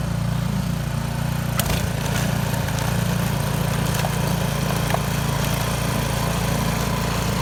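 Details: Yard Machines 22-inch snow blower after carburetor cleaning (gas left in it at least two years), choke off at full throttle on test run: steady, even drone holding pitch without hunting or sputtering; normal running.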